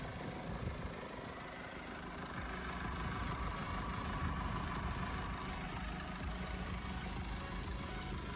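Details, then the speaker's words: Mercedes-Benz GLC 220d 4MATIC, first registered July 2020, 2.0 turbodiesel 143 kW, 9G-Tronic automatic, 249,000 km: starts instantly, steady even diesel clatter at idle with no knocks or surges, revs stable and quiet; normal idle. "двіжок запускається з півоберта впевнено тримає оберти працює тихо і стабільно"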